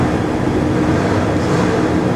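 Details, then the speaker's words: Jump-started vehicle that was low on fuel, revved: strong, even roar at raised revs with no misses or knocks. Normal revving. "okay she's revving good she's revving good"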